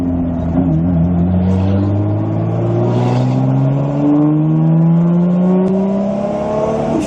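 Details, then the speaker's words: Toyota Supra with T56 manual, driving in-car on only about 6 psi of boost: engine pitch climbs smoothly through the gear and the blow-off valve vents between shifts and downshifts; healthy turbo car and blow-off valve. "It's only like 6 pounds of boost, it just has the best blow-off valve noises."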